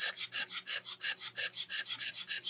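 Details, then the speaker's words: Tillotson HL-141 chainsaw carburetor, likely from a C-series (possibly C71), floods out despite a rebuild kit: on pressure tester, sharp hiss puffs pass straight through building no pressure; fuel inlet needle suspected wide open. "Just coming right through, building no pressure. So I don't know why yet, but I would say that fuel inlet needle is wide open."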